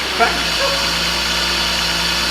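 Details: 2000 BMW E36 318ti Compact at first start after a swap to an M52tuB28 2.8 Double Vanos inline-six; throttle pedal not yet sorted. Smooth, even idle with a steady low hum, no ticking or missed beats. Normal idle.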